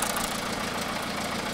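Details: 2009 MINI Cooper D R56 PSA diesel, 136,000 miles, reported top end gone, microphone near head: light quick ticking over steady idle; owner suspects worn cams, not confirmed.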